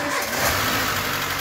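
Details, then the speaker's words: 2012 Renault Logan 1.6 8-valve petrol, misfiring with head noise, just started after spark plug work: sharp, fast top-end ticking at idle from valves out of adjustment; valves still need adjusting. "tá ajudando esse barulho mais aguçado é por falta de regulagem de válvula tá então esse carro tem que ser regulado as válvulas dele"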